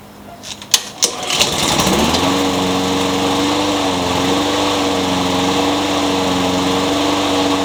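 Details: Craftsman mower with a Honda engine (owner thinks GCV160), with a new carburetor fitted to cure surging, now also with a new blade replacing an out-of-balance one that made it bounce: a few pulls, then a smooth, even drone with no shaking. Normal running.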